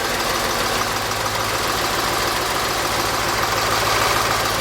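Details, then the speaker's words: 1946 Ford with diesel engine after running glow plugs, IDM relay clicking stopped: diesel starts and settles into a quick even clatter around three beats a second with no stumbling; runs and idles normally. "I'll be a monkey's uncle. Some kind of creature from the deep. Well, it runs, bud."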